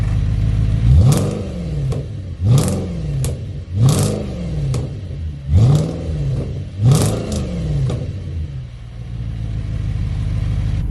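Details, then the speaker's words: Audi B7 RS4 V8 cold at fast idle: five rising whoops and clunks about every 1.2 seconds over a steady low drone; cold-start noise, cause not confirmed. "Alright, so the cold start noise, we can hear it here too."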